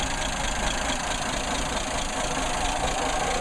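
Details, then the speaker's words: Nissan Patrol L60 (60-series), just started in neutral, idling: smooth, even idle with light fast ticking on top; noisy valves needing adjustment. "the valves are noisy I need to adjust the valves and see if I can uh get some of that noise adjusted out of them"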